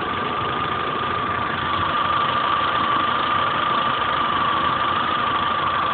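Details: 2010/2011 Chevrolet Corsa 1.4 Flexpower, 17,000 km, oil level good, warm idle at a quarter of the temp gauge: steady high whine with a light rapid tick about three per second, loud at first daily start then easing; valve train ticking, cause unknown.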